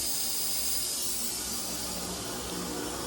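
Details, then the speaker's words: Hot tap at the nearest bathroom sink, water just turned on to a newly installed 40-gallon electric heater: sputtering hiss of air spitting out as the tank fills. Normal purge; keep the tap open until steady water before powering it, or the element burns. "Got the hot water on and you can hear it just blowing air. And it's going to blow all that air out of that tank."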